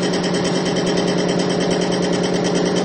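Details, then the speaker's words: Extreme-pressure test with Bitron-treated diesel at about 300–350 lb of load: a steady, even whir with a low hum that grows quieter over time, with no grinding, squeal or seizing. Smooth running under high load. "hear it's actually getting quieter and quieter the longer we go in this test I'm up over 300 lb to about 350 lb of weight right now and it's still not seizing"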